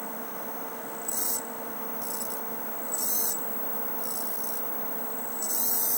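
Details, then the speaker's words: Philco 48-1000 television after a new 7AF8 tube, with the horizontal hold control adjusted: high screeching bursts come and go over a steady hum as horizontal sync is lost; sync unstable even when held. "So you hear that horrible screeching noise. And of course we lose sync. But when we have sync, it's it's unstable."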